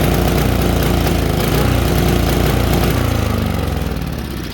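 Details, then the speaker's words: Tecumseh HSSK50 5 HP engine on a Mastercraft 24-inch MTD snowblower runs rough and uneven with no power, stumbling; spark seen cutting out completely, so ignition (electronic, no points) suspected rather than carburetor. "well you can see the spark goes completely out so I'm thinking ignition uh this should be no points should be uh electronic"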